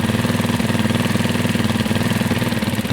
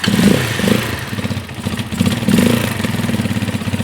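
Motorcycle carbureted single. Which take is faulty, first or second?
second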